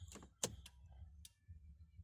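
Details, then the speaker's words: Audi A6 2.4 V6 with codes P3053/P3088, EPC light on, long stood unused, clutch pressed: starter relay clicks sharply but the starter does not crank; relay pulled and terminal 30 suspected faulty. "Relējam 30 klēmes varētu būt bojāts. Nu, ko jātais vaļā. Tā, izrāvām relējas. Skatāmies, kas te notiekās. Tā, relēja klakšķināja."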